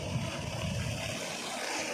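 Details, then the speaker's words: 5 HP open-well pump motor converted to 2-phase, on a Jai Kissan auto starter after start-to-run contactor switching. It runs at 295 V drawing 16.6 A while water flows out. Even, steady hum under rushing water, no knocking or grinding; running smoothly. "आता motor run कॉन्टॅक्टर टचमध्ये आहे. आता रनिंगला आहे."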